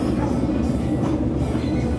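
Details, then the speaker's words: Daewoo Air Bubble 4D 19 kg top-loader in spin, no fault code, makes a heavy rolling rumble with knocking and excessive tub swaying as speed rises: worn transmission bearings, seals likely damaged. "Bueno ya agarró más velocidad Ya hace mucho ruido Este no nos manda ningún código de falla y todo parece indicar que es daño en baleros"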